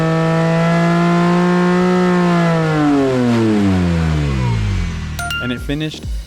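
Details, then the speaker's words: Porsche 997.1 Carrera S M97 engine rebuilt to 4.1L after track-day failure, full-throttle engine dyno pull reaching 406.6 hp / 347.6 lb-ft: clean, smooth rev climbing to high rpm and falling evenly, no knocks or misses; healthy. "It was like, you know, really awesome to hear it like go up into the high RPM range for the first time, you know, to see it in person."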